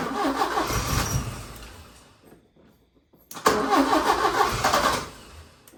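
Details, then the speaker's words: 1980 Porsche 924 Turbo after repeated start attempts: two spells of quick, uneven cranking at about three beats a second that briefly catch and die; won't stay running; owner plans to clean injectors and check the fuel pump. "I'll pull the injectors tomorrow and get those clean, and then we'll go from there. And I'll also look at the fuel pump and see what's going on there."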